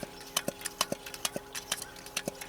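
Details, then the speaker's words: Coleman white gas camp stove being pumped after filling: sharp little pops about twice a second with each pump stroke show the charging check valve is working normally (about 20–30 strokes given). "that little popping sound. That means the valve for charging the stove is working."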